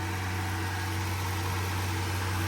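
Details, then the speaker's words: Ford Ranger started after sitting untouched since about Thanksgiving through a rough winter, 70°F in Massachusetts; it smells of gas after a full pedal press. Smooth, steady low idle hum with no knocks, ticks or squeals; normal idle. "it's running. Sounds good. No weird noises."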